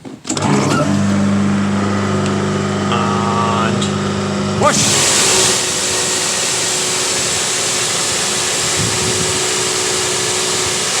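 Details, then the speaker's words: Diesel-heated electric pressure washer, pump working after a pressure leak was fixed and before the burner and ignition repair: the motor hums up to a steady, even pitch, then a smooth, steady spray hiss with no surging. Normal pump operation. "okay that works hey that works"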